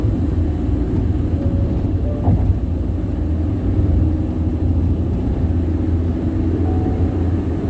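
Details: Deep steady tire roar at highway speed on the Bandung–Jakarta toll road, low and constant with no knock or rhythm; loud tire road noise, cause unknown.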